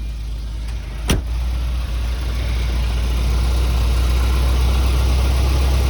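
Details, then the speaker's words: 1987 Volvo 740 Turbo wagon after replacing main fuel pump, fuel filter and cleaned injectors: catches with a quick crank, then a smooth even idle with steady low drone, no knocks or misses; healthy. "Looks good. Looks good, sounds good."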